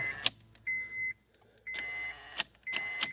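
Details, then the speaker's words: 2008 Honda CR-V with intermittent no-start, starter already replaced elsewhere without change: key to start gives a thin high buzz and clicking bursts with no cranking; fault traced to voltage drop at the ignition switch. "so to show you what it does come in and you get that [Music] buzzing noise but it doesn't"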